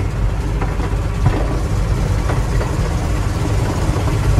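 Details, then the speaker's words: Old truck driving slowly: heavy low rumble broken by strong dry hollow suspension knocks, started suddenly without hitting a hole; owner suspects a blown ball joint or tie rod end. "parece como se fosse um pivô mesmo estour estourado né e vo um terminal de direção uma coisa assim mas tá tá bem forte o barulho hein não sei se tá pegando tanto no vídeo né mas tá dando uma batida bem seca assim ó"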